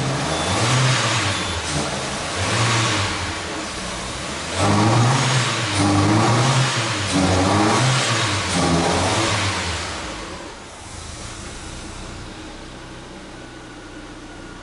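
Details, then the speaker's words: Peugeot 308 2.0 16V running on 100% ethanol with no cold-start system, after a no-start with ECO mode and clearing the fault codes: a cold start with a few uneven rev blips, then it settles and stabilizes at idle. "tá frio nem a partir Depois de toda aquela bagunça né tá sempre cento no álcool e tá sem partida a frio ó ó mas já estabilizou"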